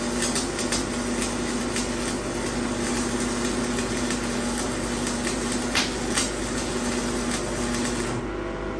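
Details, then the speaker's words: AC-powered variable inductor coil with a laminated iron core: a steady low even buzz with no surges, normal for the loose-fitting laminated core vibrating in the coil's alternating magnetic field. "you could probably hear the buzzing that's why we call it a buzz bux and the reason why it's buzzing is as we're changing using those magnetic fields you could see that uh laminate coil was not fitting in perfect it vibrates in there"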